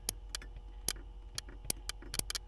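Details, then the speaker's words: 1979 Porsche 924 horn relay test: sharp irregular single clicks over a quiet hum as the relay switches; relay works, horn failure traced to a bad connection. "so that's the relay relay works"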